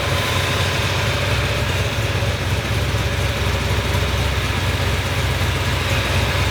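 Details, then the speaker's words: 383 V8 in a newly restored car, first run after welded block repairs, at operating temperature with manifold paint burning off; loud steady even idle, deep low rumble, no knocks or misses; a small fuel leak found, so it is shut off. "Okay, we are up to operating temperature, which is great."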